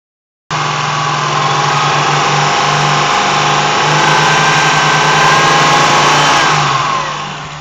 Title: Rattle sound